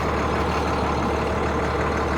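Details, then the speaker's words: Beverage truck after frame cut-and-weld repair, diesel idling with air and oil pressure up while checking for air leaks; steady low rumble, no hissing, air system holding pressure. "okay we got good old air pressure oil pressure and all that [Music] we're gonna look for any listen for any air leaks anywhere"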